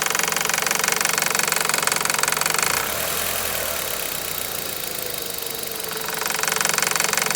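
Sharp, regular knocking at about four a second riding over the idle throughout; internal engine knock, source not yet pinned down.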